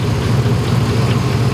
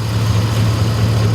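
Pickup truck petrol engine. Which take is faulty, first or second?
first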